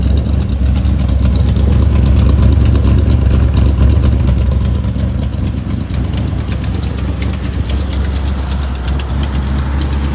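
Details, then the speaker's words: Restored 1984 Chevrolet El Camino SS Choo Choo, small block V8, automatic, side pipes, just started: deep, steady, lumpy burble at idle with even firing and no knocks or ticks; healthy idle. "that just feels good to start like i said it is a v8 engine it's got the side pipes"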